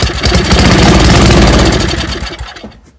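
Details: Old Toro snowblower, sat unused over a year, cold weather, choke out, fast idle, plug reinstalled: engine catches with a fast popping, smoking burst for about two seconds, then fades and stops; fires but won't keep running before fuel added.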